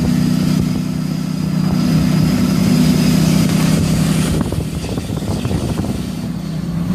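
Diesel running with a steady droning tone over the engine note and an uneven rattle; sounds like a failed turbo.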